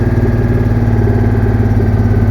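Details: Citroen Mehari air-cooled engine idling to warm up after an exhaust leak that made it run poorly was sealed and left to harden. Even, steady idle with a smooth low beat and no puffing or ticking from the exhaust.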